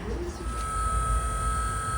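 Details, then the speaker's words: BMW E60 M5 SMG transmission after pressure accumulator work and fluid change: steady thin electric hum at one pitch as the hydraulic pump runs normally, bleeding the system (actuator block ventilation via scan tool, about 15 minutes, car on charger). "You can hear the pump bleeding the system."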